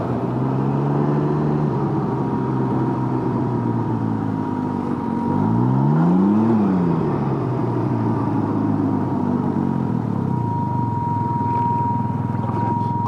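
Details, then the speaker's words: Can-Am Ryker riding in hot weather: thin steady high whine over the engine, unchanged with revs and stopping when the ignition is turned off; owner believes it is the fuel pump. "during the heat a few days ago when I was riding there was a new very loud motor whine that was definitely the fuel pump"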